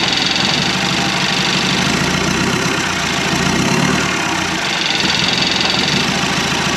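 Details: 1991 Land Rover Defender 90, Turner Engineering remanufactured 200TDI diesel, first start: loud harsh clatter at a low, uneven, lumpy idle; owner thinks idle is set a little low, and a little throttle smoothed it out; 50 psi oil pressure.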